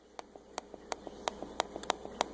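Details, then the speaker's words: Laptop trackpad after pushing the misaligned bubble switch back under its pin with a screwdriver: crisp, light clicks about three per second, each press a clean snap; the pin now presses the switch, as wanted. "can hear that it wind up and it's actually pushing on that so that's what you want"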